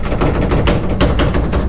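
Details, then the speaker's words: Dodge Dakota R/T pickup driving over bumps: quick metallic clanks and rattles from a loose tailgate with worn latches and hinge bushing, fixed by replacing both latches and the bushings. "at this point in time i have to listen to this driving down the road and it's making me absolutely crazy so whenever i hit any bumps"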